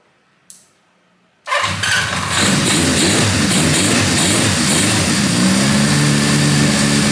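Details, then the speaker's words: 1978 Honda CB550K after correcting cam chain timing that was off by one tooth: starts and settles into an even idle with no top-end ticking; sewing-machine valve train noise gone, revs up fine. "Valve train noise is gone. Revs up fine."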